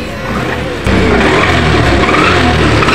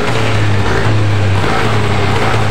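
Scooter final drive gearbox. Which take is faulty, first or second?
first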